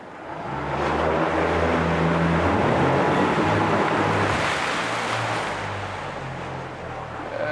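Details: 2014 Yamaha 50hp high-thrust 20-inch remote outboard, freshly serviced with new plugs, impeller, filters, lower-unit lube and oil, running in forward gear: steady drone over water splash with a light loose rattle from the fuel tank, not the motor; healthy.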